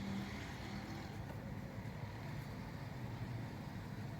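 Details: FAW V2 2010 petrol engine idling unevenly with a stumbling low beat, check-engine light on with codes P0300, P0302, P0304 that won't clear; misfire traced to bad spark plugs.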